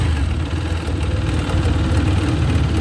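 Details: TVS Apache 160 4V BS6 motorcycle at 45,679 km, customer complaint of timing chain noise, before replacement: steady idle with fast, light rattling chatter over the low engine beat; worn timing chain noise.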